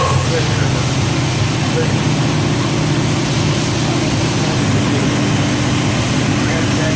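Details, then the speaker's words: 1967 Corvette 502 big-block crate V8, freshly rebuilt by an engine builder for oil burning and an internal noise, on the dyno: even, deep idle rumble with no ticking or knock; healthy. "there's dad's 502 fresh back from the engine builder we actually had them dyno it"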